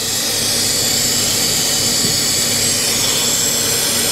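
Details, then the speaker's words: 2010 Infiniti G37S running rough and nearly stalling after a throttle body cleaning, codes P0171/P0174/P0300: a loud steady high-pitched hiss near the back of the engine. It is a vacuum leak from a broken-off hose. "yeah it's definitely hissing you can hear that there's a leak or something a vacuum leak of some sort it sounds like it's coming from over here near the back"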